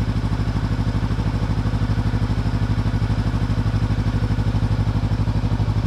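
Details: Honda CB500X twin after an engine tuning adjustment, idling with a steady, even low thump of about three pulses per second.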